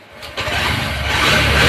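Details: Honda Shine BS6 motorcycle starting after oil change (900 g oil), filter and spark plug refitted: starter churn, then catches and settles into a steady, even putter, idle still slow, tuning pending; normal start.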